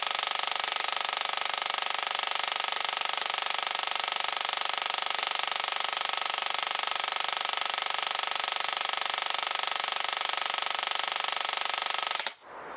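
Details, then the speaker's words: Airsoft V2 Xtra Precision Ama Tsu Maru gearbox on LiPo, full auto with motor very hot: fast even mechanical rattle with high whir; gearbox clacks loudly despite rubber pad on cylinder head, possible slight misfires. "on peut quand même constater que la gearbox n'est pas spécialement silencieuse malgré le pas d'en caoutchou qui était mis sur la tête de cylindre et ben ça claque assez fort"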